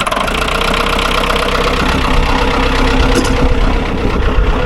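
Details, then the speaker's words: Ford 2120 diesel tractor that sat for years, started next day without glow plugs: even clatter at steady idle, no misses, surging or heavy knock; sounds pretty good, normal idle. "We started right up without blows. No warning lights. So, you know what? This thing sounds pretty good."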